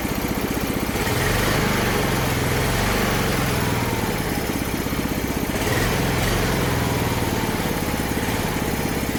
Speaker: all right another success you can even hear it smooth out a little bit once I hook the tube up